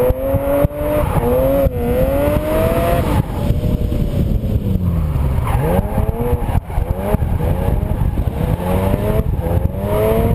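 Engine revving up and down with uneven stumbles and brief dropouts in the exhaust note, consistent with a misfire of unknown cause.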